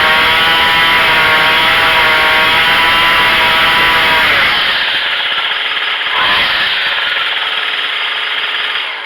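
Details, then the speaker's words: Craftsman 25cc two-stroke weed trimmer that was bogging with no power, after a half-turn carburetor adjustment: a high, steady buzz holds clean at full revs, then settles lower without stumbling; the idle is still too high. "You can hear the RPM get to the maximum, and then this idle's too high right now."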